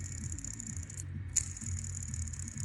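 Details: Saab 9-3 first-gen (B205E) serpentine belt pulley, old unit spun by hand during belt replacement for comparison with a new one: loose, uneven, pulsing rattle. The bearing seems to have play and sounds worn.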